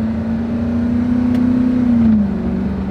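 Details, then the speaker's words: High-mileage (~300,000 miles) Ford F-250, 5.4 L V8 with five-speed automatic, going uphill: steady drone drops cleanly at upshift, no slip or flare; shifts smoothly, transmission in good shape. "going uphill shifts pretty smooth no real drag or anything on it trendy's in good shape"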